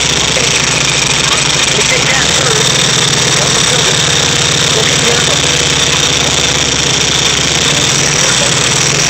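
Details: VW Type 3 1600 cc single-port engine, first start after rebuild: steady, even air-cooled clatter at a fast idle with no knocks, misses or surges; normal idle.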